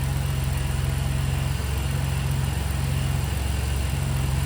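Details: 2000 Chevy Camaro 3.8 L V6 with code P1441 (EVAP flow during non-purge), at cold idle, not yet warmed up, while the purge valve is checked for vacuum. A steady, even idle with no ticks, misses or hiss.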